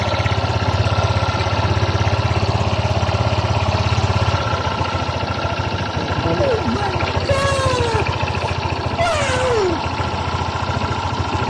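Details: Honda scooter that died when sat on, after regulator install and coolant refill: steady, even idle with a low, regular beat and no misfire or stumbling; the engine holds a smooth idle.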